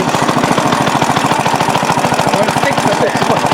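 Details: Restored rare Briggs & Stratton NR6 6:1 gear reduction single-cylinder engine, first run after restoration with a cooling fan blowing: rapid, even popping at constant speed, no misses or stumbles; runs clean and healthy.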